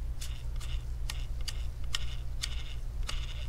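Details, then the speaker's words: Gigabyte AERO 15 laptop CPU fan spun by hand with the back cover off: dry, scratchy ticks about twice a second and a quick stop, as a rusted ball bearing lets the blade scrape its metal housing. "what happened is that the ball bearing on the fan the bearings are rusted so when it spin the blade are not in an even position so when you spin the blade is scraping off the metal so you can hear the grinding noise to it"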